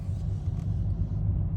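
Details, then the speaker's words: 2023 Nissan Sentra SR 2.0 pulling away from park with the shifter accidentally in low instead of drive: deep, labored, growly drone with RPM running high and sluggish response; engine over-revving in low gear. "So if you hear something that's not running right, the RPM's running high, make sure you kick that thing in D for drive so that you don't have any lag, you don't have any low growling at you, and not going to run a t"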